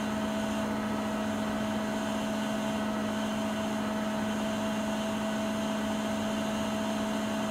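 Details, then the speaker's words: Siemens iQ300 front-load washing machine (title WG41A1X1TR, 9 kg, 1000 rpm), full spin on a spin-only program, rated 72 dB on spin versus 48 dB washing; steady even hum with a constant low tone, no knocks or scraping; normal spin cycle. "Sıkmadayken 72 desibel sesi var."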